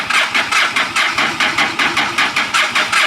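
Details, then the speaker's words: Carbureted 2006 motorcycle that probably hasn't run in a while, fuel in tank, choke setting uncertain: the starter churns in even pulses, about 2.5 per second, with no firing, and the battery is weakening. Cranks but won't start; cause unconfirmed. "unfortunately I could not get it started and the battery is a little weak now"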